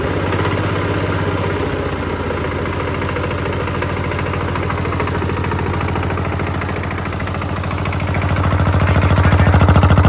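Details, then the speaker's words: Kubota L13G "watermelon head" tractor built 1962 (about 60 years old), single-cylinder vertical two-valve water-cooled diesel, glow plug preheated on a morning start, idling: slow even thumping, picking up cleanly; engine very healthy, perhaps minor oil drips. "ผมก็ไม่อยากเชื่อเหมือนกันครับว่ารถอายุ60ปีเครื่องยนต์จะดีขนาดนี้ครับดีจัดเลย"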